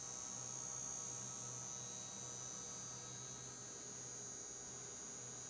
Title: Frigidaire FGIC3066TB Electric Induction Cooktop - High pitch, loud noise !